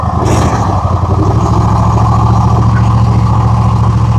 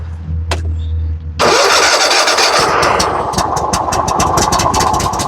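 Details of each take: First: Gravely zero-turn with Kohler 7000 series engine, 99.6 hours, after fixing black smoke and weakness caused by a missing carburetor main jet (used jet installed); steady even note at constant speed, no surging. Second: Gravely zero-turn mower, Kohler 7000 series engine, under 100 hours, weak and puffing black smoke: uneven, lumpy beat with a rich note that sounds choked though the choke is off; cause was a missing carburetor main jet.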